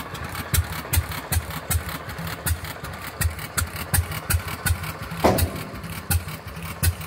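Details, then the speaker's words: Fairbanks-Morse 208 oilfield engine on a pumping unit, restarted on a retrofitted magneto after about 36 hours down: slow single-cylinder thump at about 80 per minute with a new intermittent metallic clang, source unclear, possibly the saddle; no slop seen. "she as she runs that was new and I just caught that on video what was that noise"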